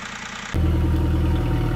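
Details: VW Polo 1.4 TDI after clutch replacement, coolant topped up: diesel catches after a brief crank and settles to an even, steady idle, checking the earlier rattle is gone; no rattle from the clutch.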